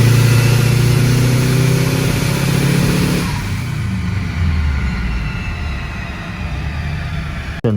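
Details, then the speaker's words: Vehicle on a dyno pulling hard, then misfiring under load with uneven pop-pop-pop sounds while still pulling. This replaces the earlier sudden total loss of power; cause not confirmed. "now we're getting misfires just bam bam bam bam bam so we're getting like pop pop pop pop so it's pulling but we're getting slight misfires as it's pulling"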